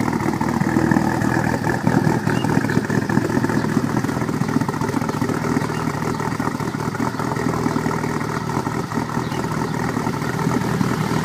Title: Morning Rough Idle